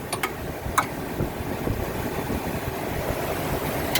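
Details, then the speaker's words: 2004 Ford F-350 Super Duty 4x4 utility truck with gas V10 at idle: soft, even rumble with only a few handling clicks, no squeaks or knocking; engine idles quietly and healthy. "can hear the engine uh idles quietly there's no squeaks or any any issues with engine noise or anything like that"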